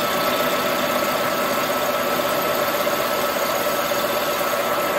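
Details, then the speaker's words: Colchester Master 36x13 lathe facing the flange of a chainsaw cylinder (Farmertec 288): steady shrill ringing over a harsh cutting hiss, no pitch change; tool chatter while cutting the flange. "you can see you can hear it friends as you get closer in it doesn't vibrate as much you hear that chatter when you get when you're cutting the flange"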